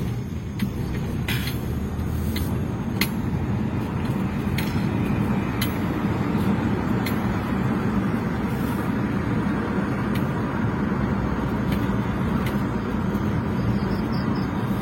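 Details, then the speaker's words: Toyota Avanza test-driving downhill in 4th gear after repair: smooth, even road rumble with no growl or snore rising with speed; the 4th-gear snoring noise is gone after replacing the worn output shaft bearing to the propeller shaft. "Kedengaran disini untuk suara ngorok digi4 yang dikeluhkan oleh pemilik mobil Ternyata memang sudah hilang atau sudah sembuh"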